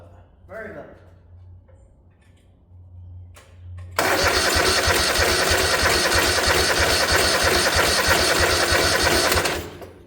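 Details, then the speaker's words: 1972 Gravely 816 with Kohler Command 18, no proper fuel tank, gas fed through filter and pump to carb: starter churns steadily about three turns a second for six seconds, never catches. Carburetor top removed: fuel present but carb very dirty, needs cleaning. "Let's take this top of this carb off. It's got gas in it. It's just real dirty."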